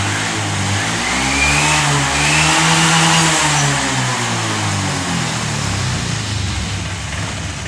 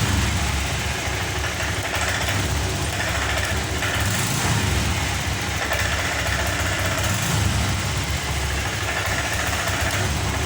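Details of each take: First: Honda Vario 125 FI that would not rev when throttled, after replacing a clogged/dirty injector, fuel pressure steady at 40: picks up cleanly from idle, rising smoothly to strong rev and easing back, no stumble; fixed. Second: Honda Vario 125 FI scooter won't rev: whether throttle is opened suddenly or slowly, engine bogs at a flat, unchanging drone and never climbs, sputtering (brebet) from a clogged fuel injector starving fuel.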